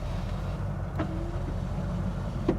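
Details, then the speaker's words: 1984 Jeep Grand Wagoneer Limited 4x4 idling in a parking lot: a short half-second smooth motor hum ending in a soft thunk, power window working normally. "then look at that, power windows all work, and the power locks work."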